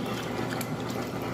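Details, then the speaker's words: Frigidaire stacked washer and electric dryer unit, washer with a couple of towels, nearly new: even, strong churning and sloshing with a steady gear-driven rhythm, clothes pulled to the bottom, no knocks or grinding; normal agitation. "See, it's got a good strong agitation to it. Those clothes get sucked all the way down to the bottom, and that's how the agitation cycle works."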